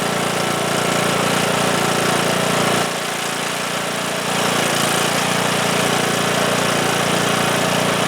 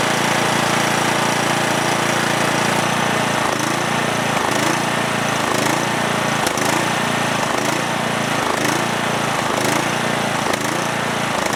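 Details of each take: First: Cub Cadet lawn tractor, single-cylinder Kohler Courage engine, after fixing a fuel blockage on the tank side with new fuel lines, new fuel filter and fresh gas: steady, even putter with one brief dip, then holds past 30 seconds; running normally. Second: Cub Cadet lawn tractor with single-cylinder Kohler Courage engine, after a spark plug swap: it starts but after about 30 seconds hunts roughly once a second, dipping and recovering unevenly, stalling.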